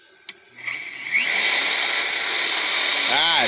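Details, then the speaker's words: Router started on an off-grid inverter in cold weather: a quick burst drops out, then winds up to a steady whine. The start surge overloads the inverter; starting through a two-heater resistive soft-start plug fixes it. "it cut out for a second okay so it did cut out"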